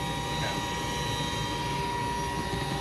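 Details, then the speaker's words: Goodman gas furnace on a no-heat call, inducer jumped out: steady high whine over airflow and burner roar; induced draft motor bearings slightly noisy but not thought to cause the no-heat fault. "You're right, it's whining a little bit. That's to vent the gas out. The gas exhaust out."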